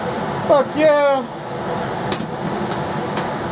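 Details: Rheem air handler after replacement blower fitted, first run checking counterclockwise rotation: brief spin-up whine, then a steady even whoosh with no knocks or rubbing; blower running healthy.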